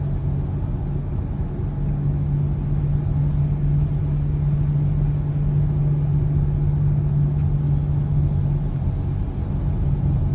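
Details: 2020 Subaru Ascent while driving: steady low humming noise under road rumble, source unknown.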